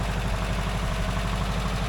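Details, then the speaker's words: 1982 air-cooled VW Vanagon Westfalia after short road drives: flat engine idles smoothly but fast, quick even thrum, around 1000 rpm measured with gauge versus about 800 specified; high idle speed. "sounds like it's running pretty good. It's idling a bit high. I put the RPM gauge on there. It's around 1,000. It should be down around 800."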